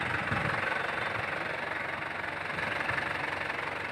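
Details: Isuzu Panther LS 2008 diesel; even clatter at idle pulsing about four times a second, no rise or misses, and a hand on the body feels no vibration; normal healthy idle.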